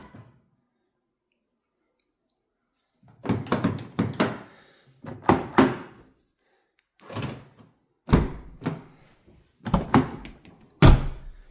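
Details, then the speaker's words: Rover 75 door locks after repair, full set now working: crisp solid clunks in quick groups as each actuator snaps home firmly; normal door lock operation. "Right. So now we have a full set of working locks."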